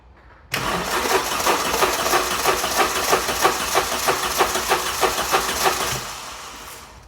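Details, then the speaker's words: Vauxhall Calibra cranking after 15 years sitting, HT leads off, probably no fuel, no fuel pump buzz heard: starter cranks about three slightly uneven pulses a second for five seconds, never catches. "It's not going to start because we've got no HT leads in it, and it's probably got no fuel anyway. I can't even hear the fuel pump buzzing, so let's see what happens then."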